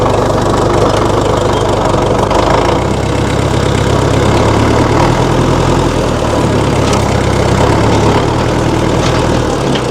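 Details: 1960 Massey Ferguson FE35 tractor, 4-cylinder diesel, after sitting unused in a paddock for a long time: steady, even clatter at low idle with a solid deep rumble; engine running smoothly.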